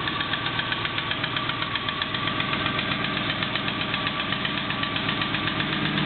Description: Noise from cold - (ignore stag "click" 3 attempts to get starter solenoid to make contact!)